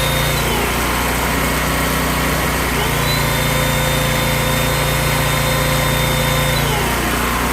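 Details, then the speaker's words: Small generator rescued from the trash, after repair, powering a vacuum cleaner with output dropping to about 100 volts: steady, even drone, pitch dipping briefly as load comes on; runs strong; normal running under load. "but she's running pretty strong engine sounds good"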